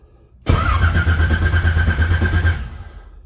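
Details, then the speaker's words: 1980 Trans Am with new TH400, distributor just restabbed, mechanical fuel pump: about two seconds of even cranking around three beats a second without firing, cranking to fill carburetor bowls; normal cranking. "so let's go and take a little cranking give the uh fuel pump caught up"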